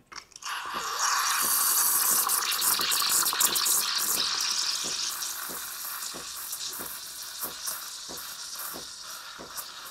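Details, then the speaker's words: Espresso machine steam wand (CRM3605) set shallower, tip barely at the milk surface for thicker foam: steady high hiss with clearly more frequent chirps than before as milk begins rolling; normal foaming. "확실히 칙칙소리 아까보다 많이 나죠 자 우유가 돌기 시작합니다"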